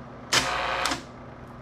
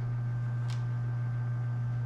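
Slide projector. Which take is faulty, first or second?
first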